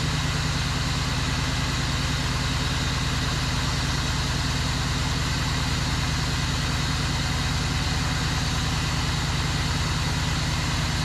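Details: 2001 Cadillac DeVille after new starter, fuel injectors and intake gasket, started after priming the fuel pump: settles into a steady, even idle with smooth low thrum and no misses or knocks; runs healthy.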